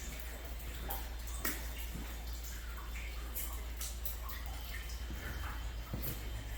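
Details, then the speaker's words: Hot water supply line leaking in an upstairs unit of a commercial building, heard from the unit below: steady rushing hiss of pouring, splashing water with scattered drips through the fallen drop ceiling. "Drop ceiling has fallen down. Water is still pouring, as you can hear."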